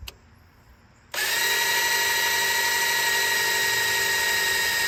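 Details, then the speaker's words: Fresh 1970 Ford Falcon 302 small-block Ford before first start: drill on distributor shaft priming oil pump in reverse, spins to steady high whine under heavy resistance as oil pressure builds. "that's oil pressure on your battery in just here it's fighting right now it's fighting a ton of oil pressure"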